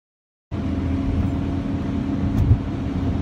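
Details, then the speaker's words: 1997 Honda Civic (D16Y7 engine) while driving: steady low droning hum under road rumble from a failing rear driver's-side wheel bearing; owner suspects the passenger-side rear bearing is also failing, less severely. "that is the sound of the wheel bearing failing in the back on the driver's side i think the passenger side also too is also failing"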